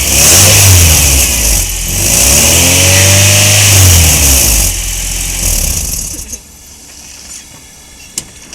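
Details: Engine catches quickly, climbs smoothly through a clean rev and drops back to an even idle without stumble or miss; healthy running.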